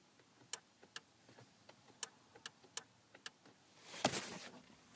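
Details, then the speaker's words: Chrysler Pacifica driver power seat, recline not working: sharp isolated relay clicks each switch press but no motor hum, so power arrives but the Valeo 404.807 12V Keiper seat motor doesn't run; cause was worn motor brushes, replaced. "there's obviously because I can hear the relay switching there's electricity going"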